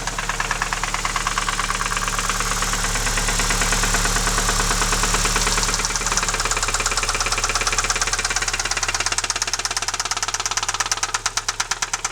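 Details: Alfa 156 that developed a loud ringing in the engine at 120 km/h in 5th gear, recorded idling in the garage after a tow: a sharp metallic knock about three times a second over the idle, louder in reality than recorded; owner doubts it is the cam phaser; engine knock.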